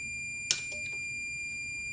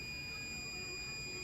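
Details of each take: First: Indicator relay from a Meta Systems M76 car alarm on a 12 V bench supply with meter: after one click the meter's steady beep continues, relay not releasing until tapped with a screwdriver; sticking relay contacts causing sticking indicators, relay replaced. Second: New replacement indicator relay for Meta Systems M76 car alarm on 12 V bench supply with meter: clean steady beep as power applied, relay changes state properly; old relay stuck until tapped, causing sticking indicators.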